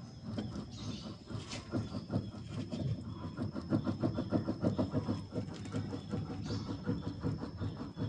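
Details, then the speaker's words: 2012-up Avanza/Xenia with electric power steering, stationary, wheel rocked quickly side to side: dull repeated clunks each direction change from left side of steering gearbox, also felt over rough roads; worn steering rack bushing clunk. "nah ini dia ini adalah suara dari gearbox ini sangat keras bunyinya"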